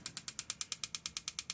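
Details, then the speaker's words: Marey tankless gas water heater, gas on, wiring, battery and hoses checked, no gas leak: crisp ticking about nine clicks a second with no burner whoosh; igniter sparks but won't light; owner suspects the gas valve isn't getting the open signal. "Good sparks. Everything's properly wired. No gas leak. Everything's properly hosed. Won't ignite."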